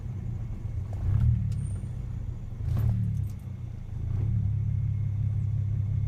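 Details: MK3 Jetta VR6 idling rough, the low rumble swelling and sagging unevenly about every second; rough idle persists after a new PCV valve, repaired vacuum hose, plugged brake booster vent, new charcoal canister and Seafoam; cause unknown.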